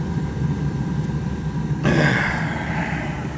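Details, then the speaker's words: Old gas boiler on a no-heat call, pilot lit but the control not calling: low steady rumble, then a soft whoosh as the burner lights and settles into an even roar. Clean ignition. "Okay. Sounds good to me. Hope it's that simple."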